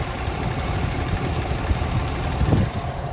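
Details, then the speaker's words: 2017 GMC Sierra 1500 Denali, hood open at idle: steady smooth low rumble, no pulley squeak or ticking; normal healthy idle. "Sounds good. No pulleys squeaking or anything."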